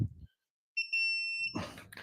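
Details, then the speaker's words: Digital torque wrench tightening Mazda Miata lug nuts, set under 100 ft-lb, car in gear with parking brake on: steady high-pitched tone held about three-quarters of a second, meaning target torque reached. "when you hear the solid tone that means you're [Music] there"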